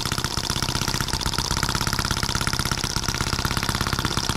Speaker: oh we had it looks promising that crazy thing runs pretty good